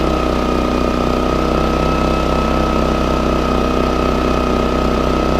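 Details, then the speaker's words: Portable generator, hard to start: a steady drone with a slightly uneven beat and soft wandering speed, hesitating as it tries to rev up. Suggests fuel starvation. Engine hesitation and hunting rpm. "so if you can hear wanted a hesitate they want to rev up the RPMs right"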